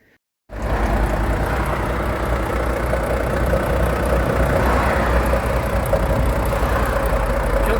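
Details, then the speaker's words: Volvo FH13 diesel truck, knock and grinding from the valve cover area: steady idle with light, fairly even tapping up top; worn rocker rollers. "сегодня у нас очередное варва проблемы со стука в моторе из района клапанной крышки"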